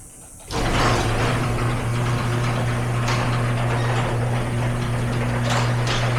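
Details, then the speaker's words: Garage door with an opener, recorded before roller replacement; a steady motor hum, then rough rattling and occasional clunks as the door travels, from worn rollers with a lot of wobble and play. "So you can hear and see that this one has a lot of wobble and a lot of play, so it shouldn't sound like a rattler, obviously."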